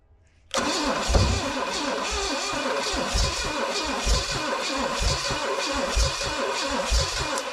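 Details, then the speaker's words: 1969 Pontiac GTO with an apparent Pontiac 350, sitting 35 years, after the timing was advanced: it catches, then runs lumpy and uneven with irregular low thumps and smoke, and no steady idle. Rough running after start, timing suspected. "Don't think it's liking that now. We're smoking."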